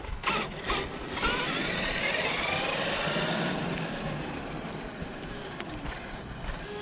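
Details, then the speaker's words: Losi DBXLE RC truck after a hard landing, throttle lost: motor whine climbs freely without loaded sound, motor spinning but not driving; pinion gear slipped back on the shaft. "oh it sounds like the pinion came off that sucks what's that yeah the pinion fell off"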